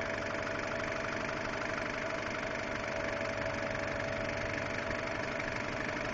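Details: 2002 Subaru Impreza WRX idling: light, quick ticking about three per second over steady idle, started about two weeks ago; source unclear. Engine ticking at idle.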